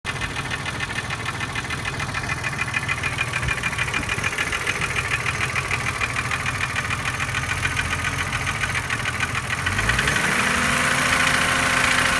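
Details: BMW E36 M3 3.0 S50B30 at idle, warm or cold: quick even ticking about three per second, seemingly near the oil filter; started suddenly after a stop; bearings, chain tensioner, valve clearance checked OK, compression one cylinder 160 psi, others 180; cause unknown.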